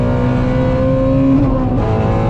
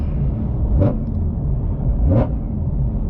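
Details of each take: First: Ford Mustang GT350R after new tune from Palm Beach Dyno to fix a long-standing issue, advanced track mode off: strong clean full-throttle pull, pitch climbing steadily with no stumble; driver slow-shifting, says it's ripping and way different now. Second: Ford Mustang GT350R on test tune, wrench light on, throttle body codes: deep lumpy rumble with heavy uneven pulse every ~1.5 s, limping on like 3 cylinders in fail-safe; owner suspected crank sensor; tuner says normal fail-safe behavior, fine after clearing.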